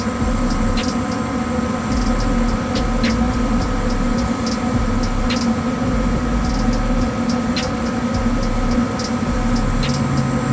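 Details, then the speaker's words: Goodman furnace blower motor after removing, resetting and retightening the blower wheel so the fins spin freely: steady, even blower hum and airflow with no grinding or scraping, the earlier grinding fixed; normal blower operation. "There we go. So here, no grinding, so I think we fixed the problem."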